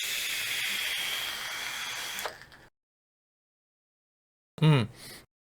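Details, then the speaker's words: Geek Vape Griffin 25 atomizer firing at about 80 W: steady hiss with faint fine crackle, then stops, as juice wicks onto the hot coil; normal coil crackle, not a fault. "and you can hear the crackling sound and that's the sound of less wicking and the stuff wicking up into a hot coil"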